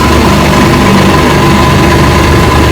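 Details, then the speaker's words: Rebuilt 1959 Evinrude 18 hp fast twin two-stroke outboard, warm after about 15 minutes of running; the cooling problem looks fixed. Loud, steady idle with an even beat, no surging or misfires. Normal idle. "And then watching the cooling, been running about 15 minutes so far, and she's running good."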